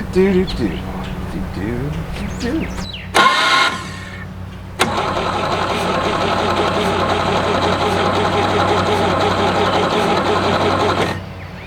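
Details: Abandoned 1967 GMC C20 with a previously stuck 305 big-block V6, sitting at least 7 years: the starter churns steadily for about six seconds and it never fires. No spark; owner suspects the points are not gapped right. Crank, no start.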